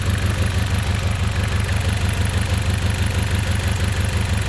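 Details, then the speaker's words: Engine idling rough, smelling of unburned fuel: idle lopes at about two pulses a second; unplugging this coil changes nothing, so the ignition coil is dead and one cylinder misfires; coil needs replacing. "and this one's not working you see you you can see now the entries nothing changed put back same thing take out same thing so this one is not working anymore dead so you need to change it"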